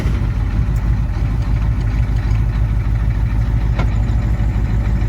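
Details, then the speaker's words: 1987 Ford F-350 diesel, started with ether after sitting 8 months: deep even idle with steady low beat, no misfire or knock, runs on its own without a boost; some wiring issues noted. "It runs. It can fire up on its own without being boosted."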